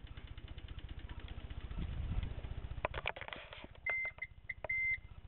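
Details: Toyota Corolla All-Trac, 4A-FE, 5-speed manual, no-start: with diagnostic connector jumpered at T and E1, fast continuous clicking, believed from the starter, plus beeps, no cranking; fuel pump won't prime, dash lights erratic, electrical fault not pinned down.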